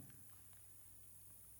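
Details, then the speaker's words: LG Flatron L192WS monitor with no display, power supply board under repair: steady low mains buzz with a faint thin high whine, no rhythm; very noisy power supply, cause unknown. "pressed with is how noisy the electricity sound on this power supply"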